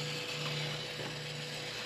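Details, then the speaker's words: RV factory Jensen radio that has died: faint, steady whirring hum continues after switching off, like the CD motor still spinning; buttons do nothing; owner suspects it is draining the battery. "real faintly you can hear I don't know if it's going to pick up but you can hear it's like the CD motor is spinning or running even though I'm trying to I cut it"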